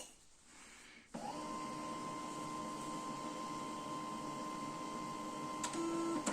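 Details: Canon i-SENSYS MF4410 scanner carriage after repairing the broken scanner motor cable that caused error E202-0002: steady, even motor whine and smooth travel with no grinding or stalling, scanner now running normally.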